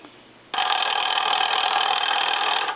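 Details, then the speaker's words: Foreign desk-style telephone from Paris converted to touchtone, both bells turned off: two-second burst of rapid buzzing clatter with no bell tone as the ringer solenoid still chatters; a real on/off switch was added to stop it. "this is the noise that HG generally doesn't want to hear if he turns off the Bell on these telephones or any telephones that I usually work on for him he doesn't even want to hear that mechanical sound"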